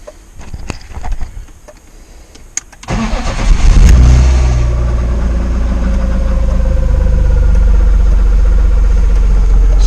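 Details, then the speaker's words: BMW E36 drift build cranking and idling, run without an air filter, with a steady mid-pitched whine from the power steering pump, which is spitting fluid out and low on it; a release bearing whine is also present. "there's that whine that you can hear, which is obviously off the power steering pump."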